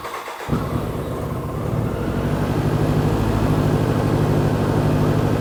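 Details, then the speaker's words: 1993 BMW K100 motorcycle, first start after a long sit, with new battery, fuel pump and fuel filter and old gas in the tank: lumpy, uneven beat with a wavering low throb; owner suspects the long sit is to blame; rough running. "it's running a bit rough maybe because it haven't ran in a while so smells really bad too that old gas smells really bad"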